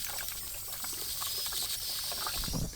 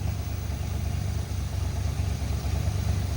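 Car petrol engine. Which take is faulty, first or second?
first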